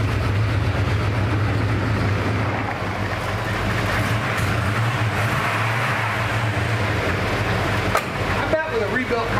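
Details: 1979 Ford Bronco original V8, untouched 30 years: steady low rumble with slight unevenness, no knock, may stall; possibly running out of gas, owner thinks a carburetor would help.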